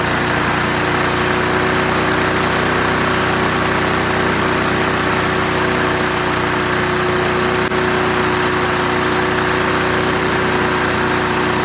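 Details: Curbside-found Snapper Hi-Vac push mower now running on its own. The throttle lever hits the ground at about 2/3, so it revs high. Fast, steady single-cylinder clatter with slight shake, no misfire. Normal running, high speed.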